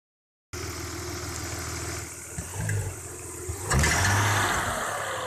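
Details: Audi 3.0 V6 BBJ: ringing knock on sharp throttle and under load, gone when cylinder 1 coil or injector is unplugged. Persisted after replacing cyl-1 rod bearings, rings and seals. At idle each throttle blip brings a brief metallic rattle. Cause: exhaust manifold's internal baffles broke loose.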